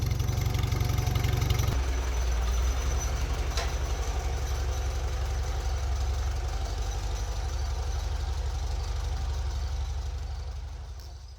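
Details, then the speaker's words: 1973 AMC Gremlin revived after 30 years in a barn with a little work: even, steady low idle at about 230 pulses a minute, no knock or miss, then fading out; an excellent runner. "Obviously, with a little bit of work, she's an excellent runner."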